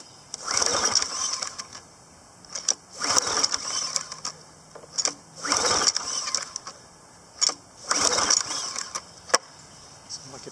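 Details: PowerFlow+ pressure washer, Briggs & Stratton 190cc 2016 engine, unused over a year: repeated recoil pulls with carb cleaner, has spark, cranks but never keeps running; ethanol gas dried in carburetor, clogged bowl-screw main jet.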